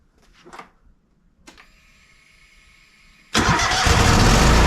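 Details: Toro zero-turn mower: a few quiet clicks, then the engine catches at once and runs on as a steady rising hum; clean normal start and idle.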